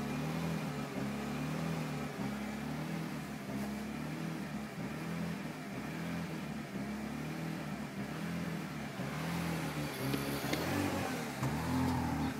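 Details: BMW E46 after new DISA, engine mounts, PCV/oil separator and hoses, spark plugs, fuel filter, fuel pump, water pump: idle is smooth from start, but after blipping the throttle it hunts up and down erratically.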